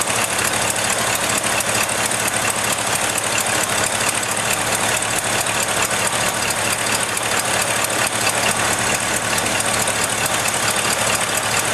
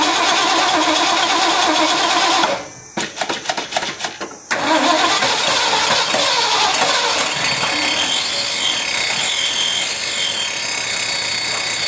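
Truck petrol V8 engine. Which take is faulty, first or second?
first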